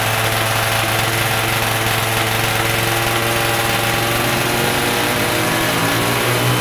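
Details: Stock Yamaha F1ZR 110 two-stroke, carburetor air screw being set (about 2.5 turns out lets top-end RPM climb fully): a steady buzz at moderate revs, crisp and even with no stumbling; normal.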